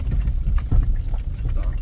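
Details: 2015 Ford F250 crew cab riding rough with knocking; dull hollow thumps through the cab over road rumble crossing bumps from failed body mounts, replaced with S&B silicone body mounts.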